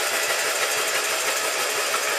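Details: Kohler Magnum M18 engine from a Cub Cadet 1882 restoration, on a test stand after rebuild, cranked with spark plugs out on a weak battery to check oil pressure (reached 35 psi): fast, even, free-spinning cranking with no firing, sounding healthy.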